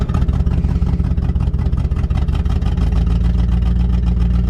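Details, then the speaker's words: 1966 Continental on a test drive after long storage. A deep rhythmic puffing chuff rides on the engine note under load, from an exhaust leak on the driver's (left) side of the engine; fumes are entering the cab. "This thing has an exhaust leak. You can definitely hear that. Smell it. On the left-hand side or the driver's side of the engine."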